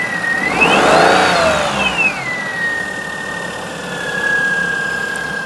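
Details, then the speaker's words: 2004 Perodua Kenari after timing belt change: steady high whine near 2 kHz over quiet idle, worsening as lights, heater and heated rear window are switched on; cause unknown. "We've definitely got that whine back, which weirdly seems to get worse with the electric load turned up. Very strange."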